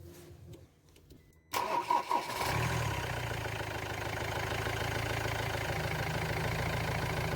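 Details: Ford Transit Mk7 diesel after glow plug replacement and reseating a camshaft sensor plug that had prevented firing: brief quiet, short crank, catches quickly and settles into a steady, even idle; normal start and idle.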